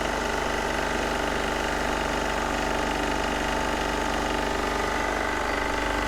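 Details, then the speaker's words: Onan MEP-016B 3 kW military single-cylinder diesel generator, revived, started outside to warm up; starts quickly, even steady thumping beat with no misses or knocks: normal diesel idle. "all right rolled it outside we're just gonna start it up real quick and let it run and warm up so see how quick it starts good"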